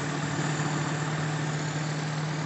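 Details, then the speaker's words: Suzuki Feroza carbureted engine with heavy fuel use, stumbling and black plugs: steady, slightly uneven idle set a bit high. The carburetor's vacuum hoses (power-jet piston, distributor vacuum) are connected wrongly, causing the rough idle. "nanti kita cek juga untuk pemasangan selang selang dari karburator Feroza karena selang-selangnya terlalu banyak kita cek dulu karburatornya enak ya [Musik] tapi selang-selangnya pemasangannya keliru"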